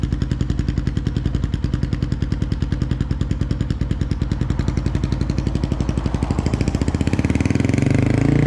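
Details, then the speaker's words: 2005 Polaris Predator 500 quad, first test ride after full restoration and engine rebuild, plastics loosely fitted: crisp, even single-cylinder thump that picks up with throttle, no knock or clatter; clutch, five gears and reverse work, front brakes weak, rear good; normal running. "first test drop I don't know what else to say it's got five gears brakes work uh front brakes kind of suck back brakes really good clutch works all five gears reverse"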